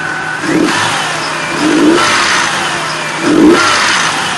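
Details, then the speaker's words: 2004 Nissan Frontier VG33E V6, 183,117 miles, at 113°, idle about 650 rpm: throttle blips with light metallic chatter as revs drop; camshaft hydraulic lifter noise. "hear it that's the camshaft hydraulic lifter okay"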